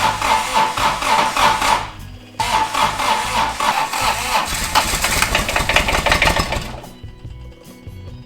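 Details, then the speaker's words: Toro Reelmaster 3100D diesel reel mower, first start after a rebuild with fresh coolant, glow plugs getting no power: long, steady, hard cranking with no firing, draining the battery. "Burning down the battery. That's really cranking hard. Okay, so let's try it again. It should go."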